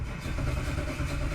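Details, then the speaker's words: 2007 Dodge Ram with Holley Dominator EFI: steady churning from the starter as the engine turns over but never fires, no RPM change during cranking; no-start traced to a failed crankshaft position sensor, which needed replacing. "it kind of saw it stall there and franking for five one no change at all in the RPM the whole time"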